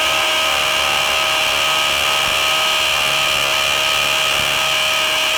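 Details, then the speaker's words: DeWALT DCD999N cordless brushless hammer drill with a large, long bit in speed 3, drilling 20+ cm thick K250 concrete: a strong, steady buzzing chatter over a constant high whine, with strongly felt impact. Normal hammer drilling. "uh dari suaranya aja itu impactnya sangat-sangat Berasa ya"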